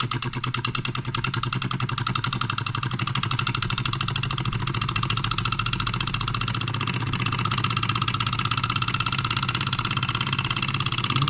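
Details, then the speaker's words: NOS late-1940s/early-1950s Wilkemp Jr Model E solenoid engine, all original paint, restarted after initial starting hesitation possibly from sitting for years: fast evenly spaced clicking, steady beat, runs fine. "it seems to run just fine maybe that was just the just needing to get started"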